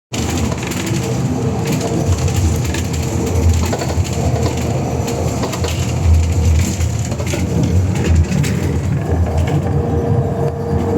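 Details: Scania K320UA bus with Custom Coaches body, diesel, while moving: low engine drone with repeated irregular clunks and knocks; bus said to be broken.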